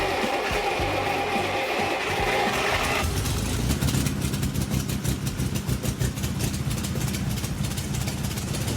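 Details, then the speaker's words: 1962 Maserati, long non-running, after restoration work and gas tank install, first runs: sharp puffing ticks on a ragged idle that quicken with light revs; a sizeable exhaust leak. "Rev it up just a little bit. We obviously have one hell of an exhaust leak. Well, it didn't sound like the high-performance monster I hoped to hear, but there's light at the end of the tunnel."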